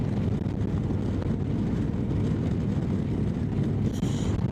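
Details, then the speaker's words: Motorcycle cruising at about 100 after failed exhaust gasket replaced: steady low drone with wind rush, no ticking or puffing; exhaust sealed, no different to other pipes, no more heat at right leg. "Well, cruising speed's good. It's really no different to the other pipes, and I can already feel the lack of heat around my right leg."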